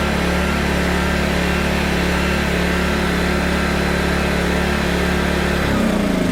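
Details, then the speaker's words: PowerTrain 900 W generator, previously not starting, fuel lines and carb work done; steady low hum dips and settles near the end as a load thought to be roughly 400–500 W comes on, runs evenly; normal running under load. "obviously when i've heard load on it you heard the engine change so i want to see how much it drops"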